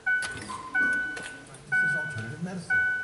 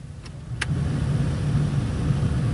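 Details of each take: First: 2004 Ford Freestar with a no-heat complaint: chimes, then the blower fan switches on with a loud rushing roar and a rough low hum from behind the glove box; a broken blower squirrel cage wheel, fixed by replacing it. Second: 2004 Ford Freestar, blower was very loud, after replacing the squirrel-cage fan; two faint clicks as blend doors settle, then a smooth airy whoosh swelling as fan speed rises with no rubbing or rattle: blower healthy after repair.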